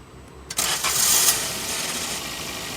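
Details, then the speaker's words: Petrol Maruti Swift (stated 2019 model), rpm high after start: quick catch into a smooth idle, no grinding, only a slight starter sound at the end; normal start. "चाबी on कर दी गाड़ी start बढ़िया कोई आवाज नहीं आई हल्की self की आवाज आती है लास्ट में"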